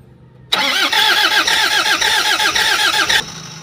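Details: Toyota Hi-Ace van, 1KD diesel, crank no start: starter spins with even compression beats about three seconds but never fires; failed high-pressure fuel pump (suction valve already replaced elsewhere, still wouldn't start).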